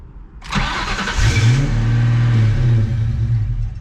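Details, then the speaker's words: Mustang after a dashboard refit with a rewired custom connector: cranks, catches, then a rough low idle that sags and cuts out within seconds; owner suspects the fuel pump from a pin or connector left unplugged, and it ran once the connector was sorted. "that's good oh no right something's wrong here because it's dying this is worse this is the thing this is the pain"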